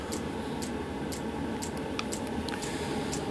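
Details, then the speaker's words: 12 V heater with a bodged 24 V dosing pump, just fired up after self-check: a steady fan rush with a crisp tick about twice a second from the evenly pulsing pump. The heater is running normally. "the pump the pump is now bumping you can hear the pump pumping bumpers pumping should fire up there it goes it has fired up excellent"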